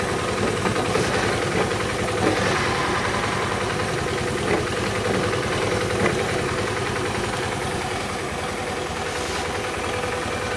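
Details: Honda Beat FI scooter (owner complains of rough starter) idling with a constant coarse, uneven rumble and rasp from the CVT; mechanic suspects worn, damaged CVT pulley shaft bearing; rough CVT noise.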